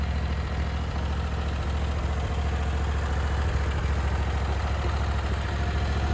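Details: Briggs & Stratton Vanguard V-twin on a Vermeer SC362 stump cutter, idling after bent push rod replacement and valve lash adjustment; steady low regular pulse, no misses or knocks, both cylinders firing together, smoother than before with minimal vibration.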